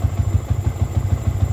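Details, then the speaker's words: Cold-start idle on a Yamaha New Vixion single after clearing scanner fault codes (bike had severe hesitation/brebet and stalling): steady, even unbroken thump at fast cold idle around 1300–1400 rpm, no misses; normal. "Oke, kita kontak on teman-teman kita nyalakan motor nyala. RPM 1300 1400 kondisi suhu dingin"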